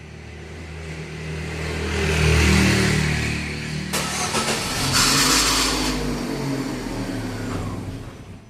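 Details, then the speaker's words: 2011 Chevrolet Prisma (same as Corsa Classic, Celta): harsh metallic grind bursts out on cranking before the engine catches and runs, recorded from the front with camera outside; fault in the starter motor, to be removed. "Beleza, deu para ouvir aí direitinho. Defeito no motor de partida."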